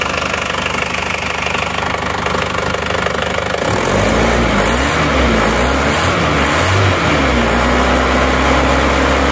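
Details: Isuzu Panther 2.5 diesel, first cold start after rework with previously replaced non-original liners and sleeves: steady clatter at about three beats a second settling after a brief rise, not harsh; healthy idle.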